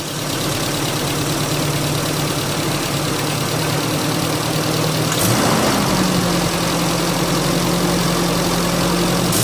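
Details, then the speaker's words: Car engine after fixing rough running caused by MAF sensor cleaning: steady idle with a brief blip, then settles at a slightly higher, even speed with no hunting; seems fixed. "at this stage it does seem to be fixed"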